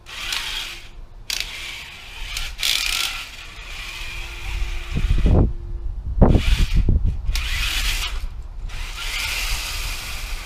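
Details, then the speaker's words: 3D-printed tank on its first outdoor test run: rough, uneven grinding and clatter from the printed drive gears under load. The gears are crunching and likely won't last. "I don't think those gears are going to last very long though based on that grinding you can hear"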